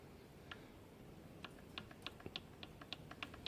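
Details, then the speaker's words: Crankshaft rocked by hand giving light, sharp metallic clicks: play from worn bearing journals. "so the bearing journals are worn and this play didn't even notice myself"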